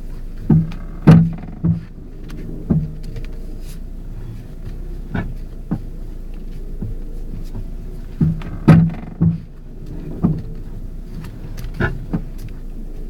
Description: The purpose of this video is to diagnose a clunking sound on my Ford Focus car.